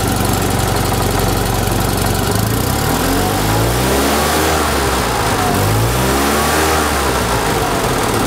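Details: 1974 Fiat 500 small engine revving after the ignition timing was set to the 7.5° before TDC mark: clean rise and fall of revs with no misses or stumbles; normal revving, healthy engine.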